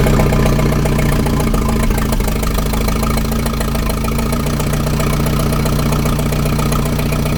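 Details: 1961 Oliver 550 tractor with Marvel Schebler carb, in neutral with choke and a little throttle: fires and runs rough and uneven at low speed, knocking unsteadily. It can't keep running on stale tank fuel and stays running only on ether.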